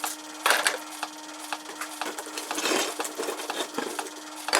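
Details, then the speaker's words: Mk 2 multi saw blade shredder for 3D-printed plastic parts, running on 12 volts, motor bracket previously broken and glued. A steady motor hum under light random plastic clatter: the parts bounce on top and never reach or get chewed by the blades. "even touching the blades you can hear it's not even touching the blades right"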